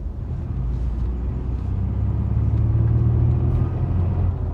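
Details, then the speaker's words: Ford Expedition: deep droning rumble while driving, swelling into a throbbing vibration as speed builds; abnormal driveline vibration at speed, cause still under investigation. "hoy esa vibración que provoca el vehículo por ese problema no viene este carro vamos a investigar qué es lo que está pasando"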